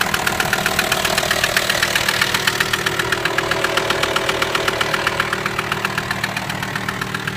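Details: VW T5 AXD diesel idling: sharp, very regular knock about four times a second, clear above the engine hum; source of the knock not yet found. Engine knocking.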